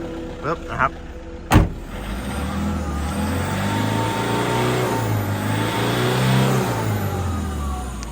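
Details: 2011 Toyota Vigo 2.5 Smart Cab diesel (120 hp, intercooled), used pickup: clatter rises smoothly with the revs and eases back, no odd knocks or misses, and no black smoke; a healthy engine.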